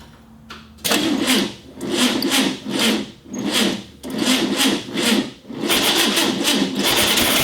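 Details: 1965 VW Beetle, garage find not started in years: starter labors in slow, uneven surges, about one or two turns a second, fading and dragging; slow cranking, sounds like a weak battery, suspected not confirmed; timing being checked.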